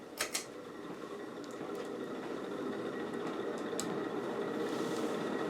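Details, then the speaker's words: 1986 Casablanca Delta II ceiling fan, glossy black, ex-hair salon, speeding up from medium: rushing, speeding-train-like roar with a rough dry undertone; worn motor bearings that will need replacing. "you can probably start to hear the bearing noise on this fan because on this one my interpretation is it's a lot less like a cat hissing and more so like a speeding train"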